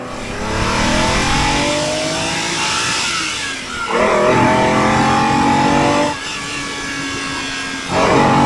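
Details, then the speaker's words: Ferrari 365GTBS/4 Daytona Spider V12 warmed up with oil and water at temperature, now repaired to run on all 12 cylinders: a smooth, even howl climbing through the gears with crisp shifts, instant throttle response and no misfire. "you press the throttle down and the sheer power of the engine opens the the lifts the front of the car right off off its right height just absolute grunt amazing"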